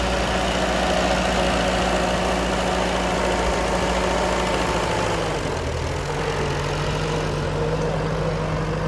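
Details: TO20 classic tractor with the gas tank just serviced after a suspected fuel clog: a steady, even putter at idle that eases to a slightly lower speed and stays smooth. This is a normal idle and fuel is getting through.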